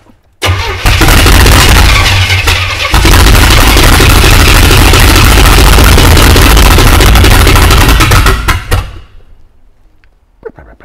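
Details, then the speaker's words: Non-running US-import GMC Vandura V8 van with fuel poured into the carburettor: it catches and roars unevenly for about eight seconds, then dies, running only on the poured fuel. Suspect no fuel supply from the tank. "I'm assuming it's getting no fuel from the tank"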